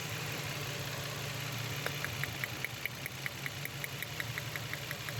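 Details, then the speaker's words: Nissan petrol engine with misfire, vibration and poor pickup: rough idle with sharp uneven ticks about three per second; coils checked fine, intake manifold removed, two old-model injectors found clogged and dead, then replaced. "খোলার পর injector গুলা খুলে দেখলাম ইনজেক্টরের সমস্যা injector জাম হয়েছিল কাজ করতেছিল না দুইটা"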